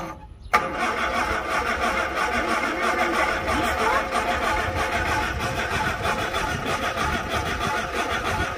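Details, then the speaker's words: Fire-damaged Morris Traveller, first start in 44 years, hot-wired with new points, condenser, distributor cap and leads, fuel poured into the float bowl, vacuum advance unconnected: brief crank, then a steady, even run with throttle held by hand. The engine runs properly. "so I know it runs I hadn't put the Advance on the vacuum for the advance um but as far as I can see it's all doing what it needs to do so I've proved that the engine runs"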